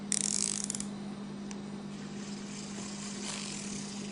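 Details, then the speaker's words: Abu Garcia Revo STX-L baitcasting reel after installing new ceramic spool bearings: steady even hum with constant pitch and faint light ticking, sounding different but smooth; normal spool spin, bearings not yet broken in. "not bad it sounds different sounds a lot different you kind of hear the ceramic sound but that feels really smooth"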